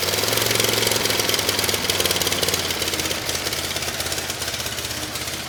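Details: Kohler SV730S-0011 V-twin on a Bobcat zero-turn mower (Ransomes 942205): steady, throbbing beat near 220 pulses a minute holds with the electric PTO engaging the blades on a severely cracked belt; engine pulls the deck load fine.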